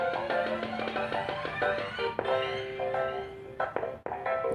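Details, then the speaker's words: Homemade monoblock audio amplifier driver tested on a 12 VDC supply, volume only at about the 8 o'clock position: music plays but cuts out in short gaps because supply voltage drops too low. "itu suara terputus-putus karena kekurangan tegangan."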